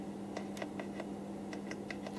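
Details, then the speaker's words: Roberts R900 radio: sharp, irregular clicks, about eight in two seconds, over a steady low hum from the audio output. Suspected DC offset on the preamp, unconfirmed. "like as a bit of DC offset on the preamp refer that could be kept reforming"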